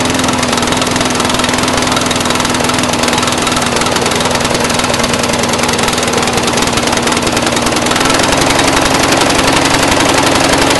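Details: Brand-new Briggs & Stratton 450 lawn mower, under 2 hours' use: buzzy uneven stumbling idle over a fixed tone, possibly too rich. Black smoke, sooty plug, throttle has no effect; smoother when tipped back. Rough idle, cause unclear.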